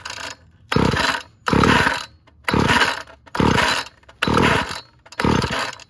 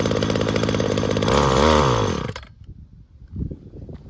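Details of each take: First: Weed Eater GTI 19 two-stroke trimmer from an estate cleanout, with old fuel and a Champion CJ14 plug: fires in short buzzy bursts about once a second and dies each time; it runs only on primed fuel because of a hardened carburettor diaphragm. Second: Weed Eater GTI 19 two-stroke string trimmer, about 33 years old, after carburetor rebuild with new metering diaphragm, fuel line and filters; fires on choke and runs strong, revs swelling and dropping briefly before cutting out, normal running.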